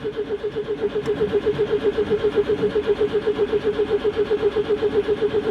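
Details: Citroen GSA air-cooled flat-four, in neutral with choke set after long storage, damp old HT leads: starter churns steadily with even pulses about four per second and never catches; owner suspects fuel is not reaching the engine.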